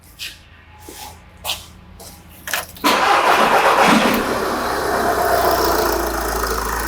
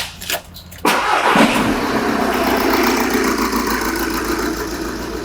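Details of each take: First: Engine cranking and settling into an even, steady idle during a pressure-transducer test of intake manifold pulsation. The pulsations are uniform and there are no knocks or misfires, so it idles normally. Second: Engine on pressure-transducer test with number 4 injector and EGR disconnected: cranks, catches and settles into an uneven loping idle with a missing beat, a deliberately induced misfire from one dead cylinder.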